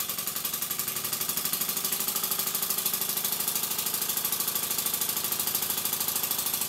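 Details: Stuart S50 model steam engine (5/8 in bore, 1¼ in stroke) at "warp speed" on compressed air from a Bambi BB50D compressor: fast, even chuffing about three beats a second, crisp hissing exhaust, no knocks or misses. Normal high-speed running.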